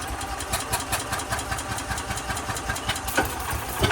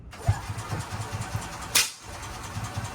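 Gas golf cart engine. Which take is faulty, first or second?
second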